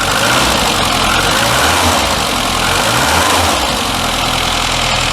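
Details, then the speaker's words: Classic Mini after oil change and new filter, warming up at idle: steady, even smooth low rumble with no knocks or ticks despite sludge previously found in the sump; healthy-sounding engine. "excellent as you can hear you wouldn't believe this engine had all that crap sitting in the bottom of the sum would you"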